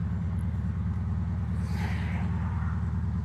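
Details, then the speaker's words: Air-cooled 1960s VW engine in a Ford Model T kit car, driving with a steady, even putter, sounding healthy; alternator whining faintly. "Engine sounds healthy. It's not blowing up or anything like that."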